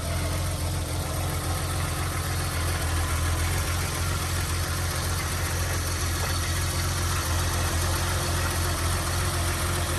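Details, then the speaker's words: 1982 BMW E21 320 two-door automatic, very low mileage, six-cylinder idling, bonnet open, walking around the car: smooth, even idle with a steady low hum, no ticks, knocks, rattles or funny noises; normal idle. "Yeah. E21 6-cylinder. Very smooth. Not making any funny noises."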